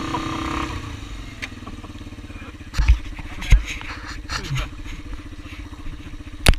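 Engine revving unevenly, with occasional sharp pops and stumbles breaking the rhythm. It's misfiring, cause not yet clear.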